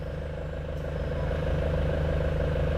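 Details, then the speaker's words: Nissan Frontier before repair, idling while the clutch pedal is pressed past its free play: light, fairly even rattle about three times a second over the engine hum; customer complaint, suspected clutch disc or dual-mass flywheel. "E aí e olha ele faz o barulhinho chocalhinho e não é muita coisa não sei se dá para microfone capita bem mas o cliente ouviu"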